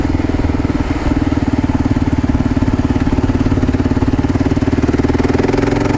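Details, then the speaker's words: 2015 Gen2 KLR 650 single-cylinder with Lex pipe and airbox snorkel pulled, riding steadily after the MCP carburetor correction kit; the heavy decel popping is gone, only an occasional pop remains. "Yeah, that MCP kit got rid of all that decel-popping. I can still hear it a little bit every now and then, but not like it was."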